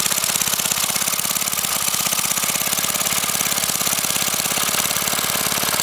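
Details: Briggs & Stratton 5 HP single-cylinder engine, sitting unused for years, run without a carburetor on propane from a barbecue grill tank, valve-metered mixture: quick, even firing pops at about 3.5 per second with crisp exhaust bark; runs normally.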